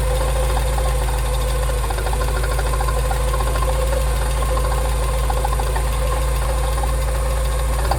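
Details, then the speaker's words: Porsche 944 sat 20 years in a hedge, first start-up in hot weather: rough uneven running, steady low rumble with busy mechanical clatter; abnormal mechanical noise, cause unknown. "Something isn't happy. Something's really unhappy."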